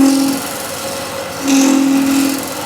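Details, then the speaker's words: Wood lathe turning with a negative rake scraper using its original burr: steady mid-pitch singing tone as the scraper bites more aggressively, fading when pressure eases, leaving a nice powdery-cut surface. "So that noise is, I'm getting a little bit more of aggressive."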